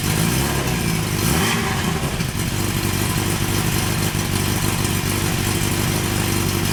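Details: Honda CB900 Custom four-cylinder at first start after a suspension upgrade and exhaust refit, with a sticky carb float earlier: quick blip, then a steady, even burble settling to a smooth idle; normal idle.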